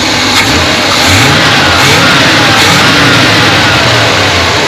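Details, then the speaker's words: 1978 Chevy C20 3/4-ton 4wd, 350 small-block V8, after a backfire and power-loss fix (new cap, rotor, coil, plugs, coil ground strap; missing strap is the suspected cause): loud, even rumble revving smoothly, no pops or misses; normal. "say sounds pretty doggone good."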